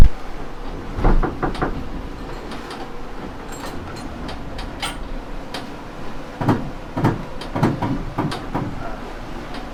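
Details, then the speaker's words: Leopard 45 catamaran saildrive: irregular clustered hard clunks over low drive rumble, like jumping cogs; gear teeth jumping suspected, not confirmed. "That's a jumping cogs."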